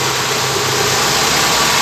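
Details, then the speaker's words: Toyota Corolla Twincam liftback gen 2, just started cold, idling steady at 800 rpm: smooth even hum with none of the usual twincam cold valve clatter, no ticking; engine healthy, mounts steady. "Oke sekarang kita dengerin suara mesin ini ya teman-teman ya langsung halus nih Biasanya kan kalau twinkan tuh baru dinyalain kemrecek ya suara klepnya ya tapi untuk ini silinder alus masih nyaman"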